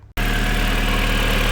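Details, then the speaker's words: VW Golf 4 GTI 20-valve turbo, after full service and valve cover gasket replacement with coils refitted: smooth, even low purr at idle with no ticks, knocks or misses; owner notes the sound changed, runs well. "Un bon moteur qui tourne bien, qui ronronne bien, c'est bon ça."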